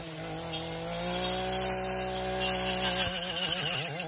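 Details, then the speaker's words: Echo PAS-2620 two-stroke pole saw attachment cutting a branch: steady howl whose pitch sags and wavers as the dull chain is pinched in the cut; engine bogging under cutting load. "It only bogs down when it gets like caught, when it gets pinched and then it catches."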